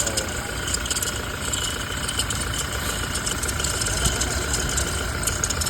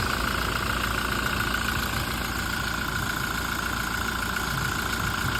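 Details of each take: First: Toyota Fortuner diesel at cold idle: thin steady squeal over the clatter, present when cold; worn alternator pulley making the noise, pulley replaced. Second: Toyota Fortuner diesel after alternator pulley replacement: steady idle with even clatter and no squeal or chirp from the belt area; noise gone, normal idle.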